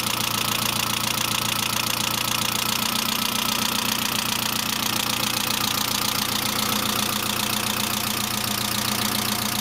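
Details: Saab 900 (C900) at idle after an engine and head rebuild: fast, even light ticking, three or four per second. Valve lifter tick with no oil leaks and oil lamp off; owner now suspects the oil pressure relief valve, unconfirmed.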